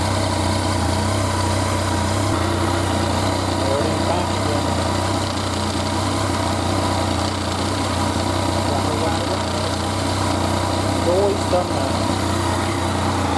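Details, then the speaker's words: 2014 Yamaha FZ-09 at about 7,430 miles, idling. A loose, uneven clutch rattle over the engine note has been present since new, cause not pinned down. Loud clutch rattle at idle. "now the clutch noise on this one has always been loud let's see what it does"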